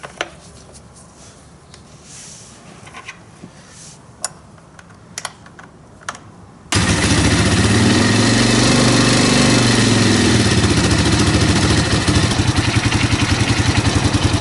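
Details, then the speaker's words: 2005 Honda CRF230F single-cylinder dirt bike, idling after a carburetor cleaning to fix non-starting: a rough, clattery rattle is heard when the clutch lever is pulled, a fair amount of clutch chatter. "Take a listen in here when I pull the clutch. Hear it? I'll let the customer know. He's selling it, so I don't think he's going to care, but I'll let him know. Pretty good amount of chatter."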